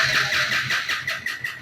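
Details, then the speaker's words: Bajaj Pulsar NS160 FI ABS, no fault codes on scan tool, ignition coil power present: quick, even starter churning with steady whirr and no firing; cranks but won't start, cause not yet found. "না বাইকটি start হচ্ছে না"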